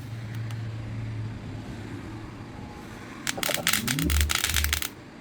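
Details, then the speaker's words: JBL Boombox (original first model), at power-on: after a quiet start, sharp irregular crackling pops for about a second and a half; the crackling comes from the two small tweeters. "Oh, something with the speaker, that crackling sound. That's the issue."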